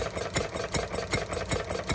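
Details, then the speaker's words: Stirling Kits Retrol G16 16cc model stationary gas engine restarted warm; water pump not yet pumping. Starts easily, then crisp, regular firing about every 0.4 seconds with even spacing and no misses: normal running. "Starts easy."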